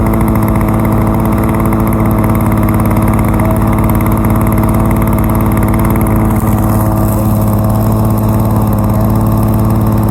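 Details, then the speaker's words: 1987 Lawn-Boy 8073B two-stroke mower, started after sitting almost a year and fitted with new greased capstan rollers: it is still hard starting, but once running gives a steady, even buzz with no misses or surging; normal running. "not bad overall, really. I mean, still needs a little bit of work. It's hard starting, but seems to run fine."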